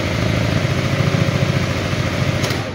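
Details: Yamaha Aerox fuel-injected scooter with hunting idle: high buzzy idle swelling and easing, around 1450–2000 rpm (should be 1400–1500), occasionally surging; ISC (idle speed control) error suspected, not confirmed.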